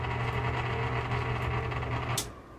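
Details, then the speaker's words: Fan motor running: a steady low hum with a rough, dry whirring rasp over it. The motor bearings are worn and dry and badly need oil. "that's pretty bad just definitely needs a whole lot of oil"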